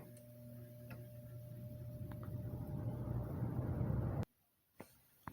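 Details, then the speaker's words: 2006 Lasko 3733 box fan, about 17 years old, restored, started from off on low speed: low motor hum swells smoothly over about four seconds as the blades spin up, with a slight startup sound and no scraping or clicking; normal startup. "all right now we'll turn it off and does have a little startup sound to it"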